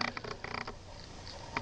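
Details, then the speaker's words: Kodak EasyShare Z612 camera that won't stay in focus: short bursts of quick, raspy chirping and clicking with quiet gaps as the lens keeps hunting for focus. "The camera doesn't stay in focus. Why? I don't know. It keeps making this cricketing noise. I can hear it, and you can definitely hear it during the video."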